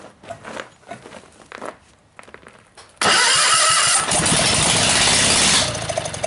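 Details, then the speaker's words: Kohler 16hp single-cylinder engine on a Gravely 16G tractor, rebuilt from two engines, no mufflers fitted, camera propped on a can: it barks into a loud, ragged run for a few revolutions, then dies. Owner can't get the fuel/firing right. "it'll it'll try to start up buh-buh-buh-buh and it'll maybe make a few revolutions and then it just dies or it won't continue won't continue on"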